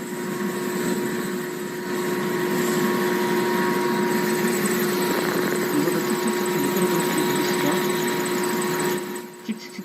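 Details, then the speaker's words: Blower's V-belt slipping, giving a rapid chirp about four times a second over a steady hum. The motor pulley sits well inside the cover while the impeller pulley is flush, so the misalignment loads one belt face, shedding black belt dust and wearing the pulleys. "미끄러지는 소리 들리시죠 그리고 이것도 정렬이 안 맞았어요"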